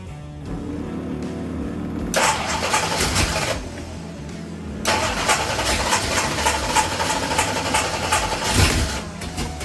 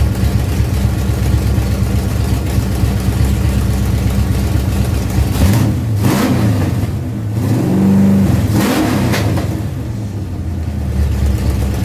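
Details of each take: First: Ford Pinto drag car with a freshly rebuilt Holley carburettor catches and revs but sags toward stalling and won't idle. Float adjustment and the idle bleed screws made no difference. The cause was misaligned spacer-plate holes blocking the idle circuit. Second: Ford Pinto drag car after Holley carburetor rebuild (grit cleaned out), secondary throttle stop backed off, fired up to adjust idle and air bleeds: steady low idle with a couple of short throttle blips, settling back smoothly; normal idle.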